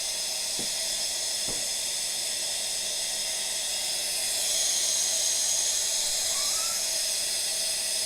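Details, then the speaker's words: Brand-new A.O. Smith electric water heater, just installed and partly disassembled over a low outlet pressure complaint: steady high hiss of air escaping the open line as the tank fills, swelling midway; normal venting. "So it's not quite full yet, but you can hear the air coming out of it. We're getting pretty close to being full right now."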